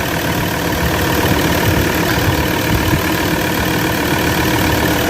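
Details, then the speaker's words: Ford Ranger 3.2 diesel after XADO engine treatment for power loss and low compression; constant even rumble at smooth idle, no surging or misses, no smoke, no blow-by seen, running quiet and healthy. "Walang usok, taas ang andar, tahimik."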